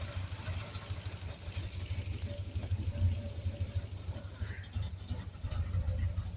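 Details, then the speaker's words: Home-built high-compression Triumph Spitfire 1500 (1977 block, ported 1300 head, small cam, twin SU carbs, Pertronix distributor, carb cheater) idling off the choke, not yet warmed up: a low, steady, even pulse with no misses or coughs; runs like a sewing machine. "I want to show you how good it runs off the choke now it's going to idle off the choke there we go runs like a sewing machine"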